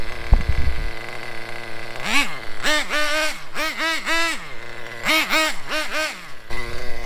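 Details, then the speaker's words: Traxxas Nitro 4-Tec after richening the bottom-end (low-speed) needle, which had been lean with RPM jumping at idle: steady, even idle, then quick throttle blips settling back cleanly. "so I'm reaching up the bottom and now it's idling just fine"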